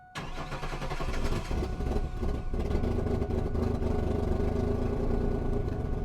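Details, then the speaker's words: 1999 Chevrolet Camaro with the fuel pump relay removed: quick crank, then it catches and settles into a rough, deep idle. The engine runs without the pump, and wrong injectors are letting excessive fuel through. "but this is a crazy one as you can see fuel pump relay is out and she's running again"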